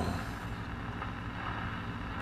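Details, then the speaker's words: Zenith G500 Trans-Oceanic shortwave tube radio after restoration, no antenna connected: steady hiss and low crackle, only a weak station; weak reception, owner suspects it needs alignment and fresh tubes. "i can tell i ain't picking up some static in there there's a weak station right there yeah she gonna work"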